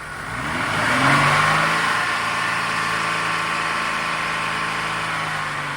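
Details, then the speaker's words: Engine revved to about 3,500 rpm while the EGR solenoid is grounded, opening it fully so exhaust gas is drawn into the intake; at idle the same test stalled it. The steady high rev sags and settles noticeably lower. "So obviously the test that Leo and I did, the vehicle at idle, he stalled the vehicle out because when we grounded this, it opened the solenoid completely and it was just sucking in exhaust gas through the intake, which caused the vehicle to stall."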